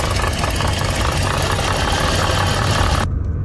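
Idling engine with a busy, gritty rattle and rough rumble from a failing water pump.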